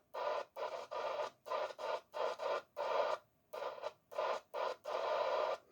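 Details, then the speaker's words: Mic-to-radio wiring with no pinout diagram, bridging wires to identify pins: choppy bursts of radio audio cut in and out about once a second, showing the black wire carries receive audio (green, pin 2, gave transmit). "I found my RX. My RX must be the black, or possibly because I've got pin 2, which is the green one, that has given me transmit. The black one has given me receive, right?"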